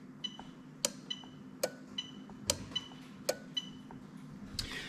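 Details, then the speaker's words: GS430 3UZ-FE VVT-i engine harness for an IS200 swap, AC magnetic clutch relay actuated on and off from an OBD2 scan tool: crisp clicks about every second over a quiet hum; relay switching normally. "so hopefully i'm going to turn it off and on again and you can hear the magnetic clutch relay clicking"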